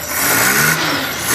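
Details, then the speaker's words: Daihatsu Ceria 800 cc petrol, single-barrel carburettor: engine blips from idle to fast revs and back, sounding lazy and flat; too much fuel, black exhaust smoke, heavy consumption, idle air-mixture adjustment overly sensitive. "Jadi cirinya kelebihan bensin, setelan udaranya ini terlalu sensitif."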